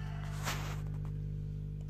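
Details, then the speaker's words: FLECO F-232BT amplifier upgraded with an N-Force 200 driver and a 3 A transformer, idling: faint steady low hum under silence, with one brief rustle; residual mains hum. "ada suara dengung-denging sedikit ya"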